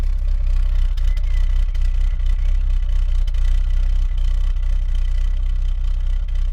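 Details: Citroën Xantia Activa Turbo CT: steady low idle with a faint occasional stumble and no clear knock; slightly rough idle.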